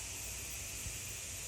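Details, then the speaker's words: New pressure canner with pint jars, exhausting steam out the top for one more minute before the vent is moved to seal: constant rushing hiss over a low rumble; normal steam venting. "e down to it exhausting for 1 more minute, and I don't know if you can hear it, but it's definitely blowing out the top here. You might be able to see the steam a little bit. So we know it's working."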